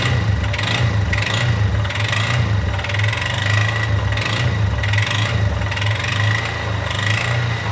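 Idling single with a rhythmic sharp ticking pulsing roughly twice a second over the engine beat; an abnormal noise, source undetermined.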